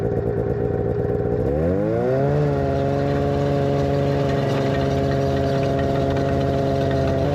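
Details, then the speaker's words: 1991 Arctic Cat Prowler 440 two-stroke snowmobile after revival: carbs checked, fresh fuel, throttle safety switch bypassed, earlier one-coil miss resolved. Revs climb smoothly, then settle into a steady drone with no stumbles or popping. Flawless after about an hour's riding. "all right so we put about an hour on her and she's performed flawlessly so we got a few little things to do to her yet but for now we'll call it good and she's running and driving really well"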